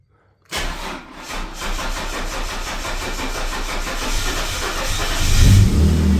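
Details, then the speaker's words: Holden VS Commodore V6 Ecotec on a battery charger, battery at 13.7 V, fuel pump primed a few times; brief crank, then it catches into a rough idle that builds and evens out; it nearly didn't start. "Nearly didn't want to, but it did want to."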